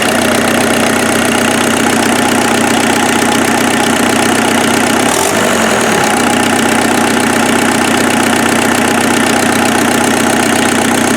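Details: Freshened-up turbo diesel engine in an offroad Mazda truck, idle after getting it running: an even, steady idle with a regular beat of about four pulses a second, no knock or miss. Much smoother than the previous engine, no smoke; normal idle.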